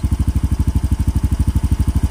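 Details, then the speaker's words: Yamaha Mio M3 scooter idling during TPS calibration and tune-up, diagnostic reading 1450 rpm versus about 1600 expected: slow, even, clean single-cylinder putter; idle speed slightly low, to be adjusted. "Nakita niya mababa siya. 1450, 15. Dapat yan 16 plus"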